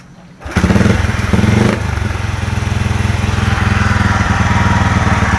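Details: Honda Supra 125 FI after replacing the faulty charging regulator with an NMAX regulator, battery at about 7 V: fires at once into an even single-cylinder idle; charging then reads 13.8–14 V, normal idle.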